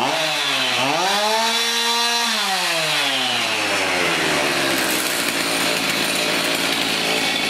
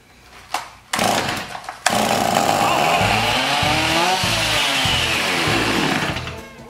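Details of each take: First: Garbage-picked chainsaw, run after refitting the throttle link and choking; fires, revs cleanly, bogs evenly into the cut and revs back up; normal running. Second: Garbage-picked chainsaw with new plug and air filter, primed with a squirt of two-cycle mix: fires, revs up and down about four seconds, then fades out; runs only on prime, carburetor diaphragm gone hard.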